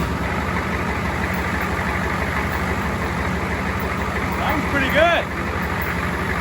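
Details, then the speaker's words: Ford 7.3 diesel first start with a first-generation Banks turbo kit and homemade intake hat, injection pump and oil line reconnected: steady, even idle with firm low clatter; healthy running, no oil leaks seen. "yeah i'm pretty happy with that sounds good i don't see any oil leaking"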